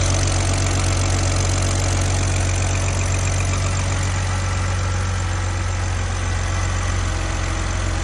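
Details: 2002 BMW 330Ci inline-six after intake manifold work with upgrade parts swapped over, check engine light on at start: smooth, even low hum at idle with no misses, stumbles or knocks; runs clean, possible squeak to check.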